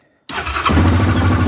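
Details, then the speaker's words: 2024 Yamaha Grizzly 700 SE ATV, cold start: catches instantly on the first crank and settles into a steady, even low rumble; runs nicely, normal cold start. "oh Run's really nice"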